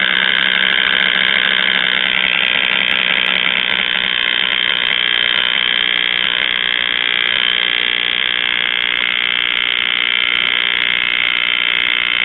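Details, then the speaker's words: Circa 1938 Emerson portable tube radio under repair, antenna on clip leads: a steady high whistling squeal with hum underneath and no stations received; the set is oscillating. "no no stations just a bunch of [Applause] [Music] oscillations"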